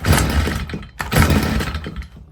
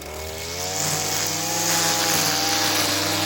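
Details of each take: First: Stihl FS55R string trimmer, before carburetor repair: on throttle, revs surge then sag and die away twice; bog doesn't clear as it warms, previously cut off under throttle; suspected carburetor fault. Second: Stihl FS55R string trimmer two-stroke after carburetor repair (new diaphragm and primer bulb, low-side fuel adjustment), warmed up: crisp buzz climbs smoothly to steady high rev, holds without stumbling, drops back; running good, dialed in.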